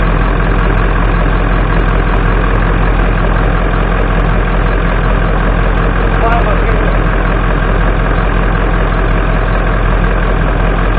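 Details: 1996 Ford F250 7.3 Powerstroke diesel warming up in a barn after a cold 30°F start following 2.5 years sitting, before an oil change; steady low idle clatter, even and unchanging, running normally.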